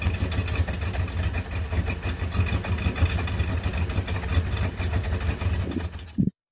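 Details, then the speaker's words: 1999 Dodge Ram, 5.9 Magnum (360) V8, running rich cold or hot: low idle with uneven surging beat, won't hold idle; owner suspects idle air control valve, O2 sensor and catalytic converters new. "For some reason, it just won't idle. In fact, this is what it sounds like when it idles."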